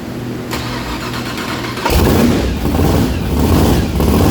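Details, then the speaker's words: Methanol-converted blown, injected big-block V8 at first start-up after upgrades: catches and runs rough and lumpy with an uneven beat, a cylinder not firing; fuel spraying out the exhaust; cylinder misfire, cause not yet found, owner believes plugs are fine. "As you can see, it's clearly a very big issue. I mean, literally just spraying fuel out the exhaust."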